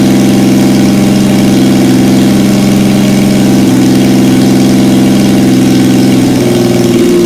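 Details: 1977 Yamaha XS750, first start in 30 years, rebuilt carbs, velocity stacks, new oil, filter, plugs, resistors and throttle cable, auxiliary fuel tank: loud, steady idle with an even beat, pitch rising near the end as it revs; runs clean.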